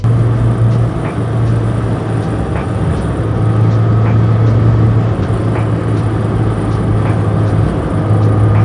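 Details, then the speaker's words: 2006 Mazda NC Miata cruising with an aftermarket short shifter from the previous owner: steady road and engine drone with faint clinks and a buzzy shifter rattle, heard over the radio. Later replaced with a rebuilt OEM shifter. "Ever since I got the car, it has rattled. It has been impossible to get in and out of gears."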